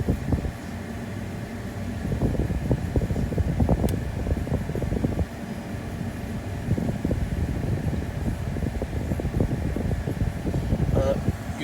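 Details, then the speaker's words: 2018 Mazda CX-5 HVAC blower motor just replaced, AC on, cover still off: steady even fan rush with low hum and some airy noise from the open housing; new blower runs smoothly, air flow similar to old one. "so the ac is on it's a little noisy but not too bad it seems like it's pushing it pushing out about the same air as the as the old one"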